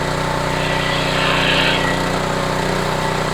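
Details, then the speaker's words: Homelite HGCA3000 3500 W generator after new carburetor and head gasket, loaded with a space heater of about 1,500 W; steady even drone with no hunting, surging or misses; healthy running under load. "all right let's try the hair dryer feel heat coming out of that there we go that's full load that's about 3,400 Watts it seem doing it"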